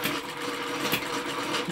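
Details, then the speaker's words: Small B01 hit-and-miss model engine driving a windmill and pump through several gear reductions: light, dry rasping grind over fast mechanical chatter, windmill apparently short of oil, exact grinding part unclear; grinding noise. "That noise you can hear is the um windmill obviously needs a bit of oil [laughter] cuz it's grinding a bit."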